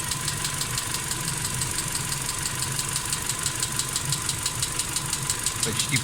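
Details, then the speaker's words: Engine at idle, ticking begins about 1.5 minutes after start: light fast metallic ticking roughly three per second over steady idle; hydraulic lifter clattering. "Почти 1,5 минуты прошло. Вот он начинает стучать. Это он."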